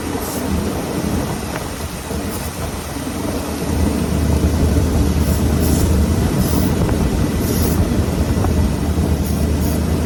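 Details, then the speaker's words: Ford truck V8 with a two-barrel Holley 4412S carburetor: idle rises and smooths about four seconds in when spraying at the carb base plate, revealing a serious base plate vacuum leak. "So, I got a serious vacuum leak on the base plate."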